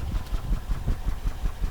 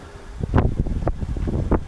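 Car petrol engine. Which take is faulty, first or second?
first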